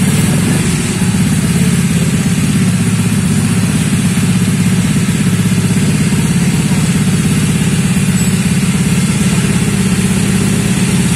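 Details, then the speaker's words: Honda Vario 125 bored up to 140cc with FIM piston, freshly rebuilt second engine: loud steady low idle with coarse uneven chuff and rattly edge; rough running, parts then found loose on teardown. "Nah teman-teman setelah kita mengetahui suaranya mendengarkan dan mengetahui hidupnya tadi hidupnya agak kasar ya"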